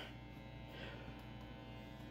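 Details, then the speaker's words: Particle board Stratocaster through Surf Rider reverb, Rangemaster clone and Russian Big Muff clone into 1970s Music Master bass amp; steady low drone with faint buzz at idle, 60-cycle mains hum. "you can already hear the 60 cycle hum we're just gonna have to live with that"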